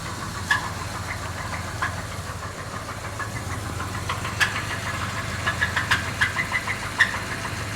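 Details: Jeep Grand Cherokee engine: irregular sharp ticks and knocks, roughly three a second, over a soft steady idle; engine knock, cause unknown.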